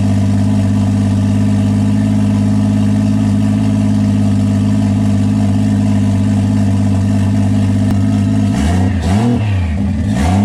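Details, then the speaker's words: E36 BMW with 1JZ swap, first start with 25 psi oil pressure confirmed after earlier starts without oil pressure: smooth steady six-cylinder idle, then clean throttle blips; sounds healthy, no apparent damage. "well guys it's going to be more excited that the 1j runs and it sounds good it doesn't really sound like i damaged anything"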